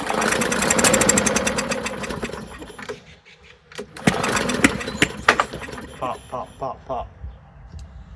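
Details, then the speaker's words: Non-running push mower with brake cleaner sprayed straight in as starting fluid: fast rough firing burst then sharp irregular backfire pops; owner suspects an intake valve stuck from rust. "kind of sounds like we're getting a backfire out of it I'd like to hear it run a little longer"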